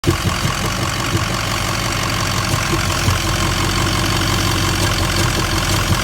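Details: 2004 Ford 6.0 Powerstroke diesel with codes for a cylinder 8 misfire, a cylinder 4 contribution balance fault and two EGR codes: uneven, stumbling idle with occasional harder knocks through the clatter; misfire at idle.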